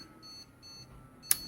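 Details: Desktop PC at power-on gives repeated high, thin beeps with no display and an unrecognized keyboard. Reseating memory did not help, so the beeps are a POST code pointing to a failed motherboard.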